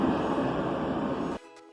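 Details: Clothes dryer after replacing a seized drum support pulley and cleaning and lubricating the other pulley: drum turns with steady even whoosh and rumble, no squeal or thump, noise gone, running normally.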